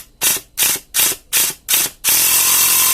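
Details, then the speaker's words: Portable 12 V air pump (cigarette-lighter type) runs with sharp hissing puffs about three per second, then continuous hiss; it won't build pressure. Owner suspects worn O-rings or a leaking hose; the rubber hose has hardened with age. "ประมาณนี้นะครับแต่ทำไมมันทำแรงดันไม่ได้นะครับทำเพชเชอร์ไม่ได้เราจะมารื้อดูว่าข้างในนี้มันเป็นยังไงนะครับ"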